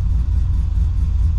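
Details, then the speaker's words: LS1 SS Commodore V8 with big cam and other power mods, first start after flashing a modified PCM tune, no throttle: deep, lumpy, choppy idle around 850 rpm with no stumbles; normal cammed idle. "Okay, listen to that chop. Hopefully you can hear that chop from that cam. That is really good. That's excellent. That's idling perfect."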